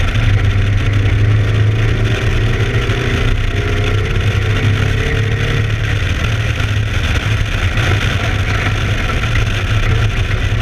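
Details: ABR Camaro race car on track, misfiring under load, cause unknown: loud, deep engine drone with an uneven, stumbling beat in the exhaust.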